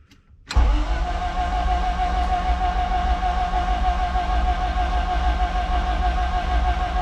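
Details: Race engine in a car sitting two years with a repaired harness, cranked with spark plugs out and injectors unplugged to prime the oil pump: smooth, even starter whirr with no firing while watching for oil pressure; normal cranking with plugs removed.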